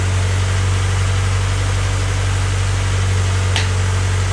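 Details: Honda Civic freshly rebuilt D16Y8 engine, first start-up on a weak battery: steady, even low idle with a smooth constant beat and no knocking; sounds nice and smooth, normal healthy idle.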